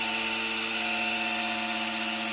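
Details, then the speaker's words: Freshly rebuilt 1967 Camaro SS 350 small-block, oil pump primed by a drill and priming tool with a standard-volume pump: a steady high drill whine at even pitch with no stutter as oil pressure builds; normal priming. "We gotta fill the oil filter up. I can already feel it. Ooh, listen to that. We got oil pressure."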